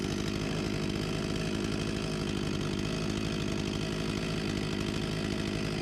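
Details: Husqvarna 254 G chainsaw, 35 years old (1989), after carb refurbishment and fuel line replacement and idle adjustment: high steady scream at 13,000+ rpm no load, clean even firing; normal running.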